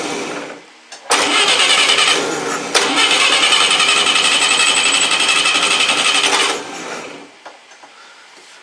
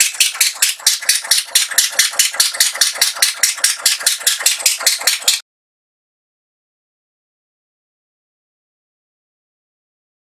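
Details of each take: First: Atomic 4 boat engine hot-wired via the coil to check ignition, running without muffler: loud, raspy, steady firing beat for a few seconds, then cut off; runs like it's supposed to. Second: Atomic 4 boat engine with plugged exhaust, only water leaving the exhaust port: slow heavy chuffing then stop, running on one cylinder as exhaust is pushed back through number one cylinder.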